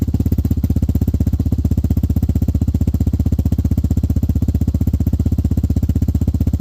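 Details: Hawk 250 (Hawk DLX) with EFI, fitted with a new Pro Circuit performance muffler with no baffles or restrictions. Loud, crisp, evenly spaced exhaust pops at a steady idle, no misses or rattles. Normal idle.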